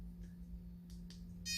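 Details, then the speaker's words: Coin-sized mini GPS tracker: two short high-pitched beeps in a quiet room, the connection tone it makes only when pairing with the phone app, silent afterward. "근데 이 소리는 처음에 구매해가지고 이 앱에다 연결을 해, 이제 위치 추적을 하려면 앱에다 연결하잖아요. 연결할 때만 소리가 나요."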